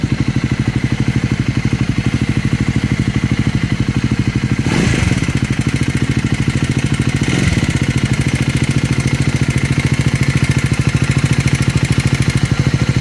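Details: Scrambler 400X or Speed 400 single-cylinder at idle, thumping steadily with a light irregular clatter over the firing beats; abnormal engine noise, cause not pinned down.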